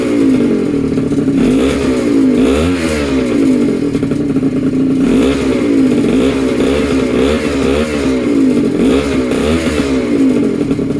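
Buzzy two-stroke holding a steady high note with regular rev swells every second or so, even and clean; engine runs properly.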